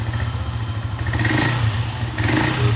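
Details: Honda CG 125 single after a full rebuild that had valve-train noise, fixed by adding a missing washer on the rocker pin that prevented valve adjustment: revs climb and fall cleanly with no top-end clatter; valve train now healthy.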